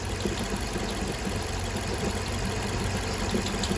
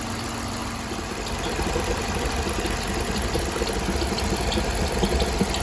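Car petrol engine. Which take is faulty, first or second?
first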